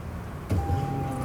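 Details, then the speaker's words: 1998 Ford Contour no-start, listened under the car at the fuel tank at key-on: steady thin hum at even pitch; fuel pump running normally, yet no fuel reaching the engine, fuel level very low. "Okay, I heard the fuel pump running. I put my hand on the gas tank when Brian turned the key. So the fuel pump's working"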